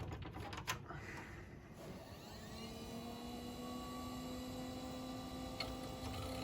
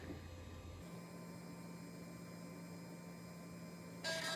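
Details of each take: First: 6 GB hard drive, presumably from an iMac, spinning up: a whir rises to a steady hum, then sharp uneven ticks come about once a second. The drive ticks on spin-up and is judged toast from the sound; jumper possibly not transferred. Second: Old Western Digital hard drive, blank with no operating system, spinning up: steady faint spindle hum with a short burst of seek chatter near the end. Normal spin and seek.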